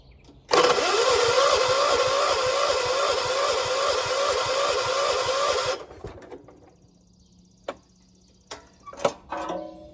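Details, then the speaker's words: 1976 John Deere 300 lawn tractor, hard start the morning after heavy mowing; slow laboured cranking about three turns a second for five seconds, never catches; battery found almost dead, jump start needed. "Come on. Gotta jump it. Why is my battery dead?"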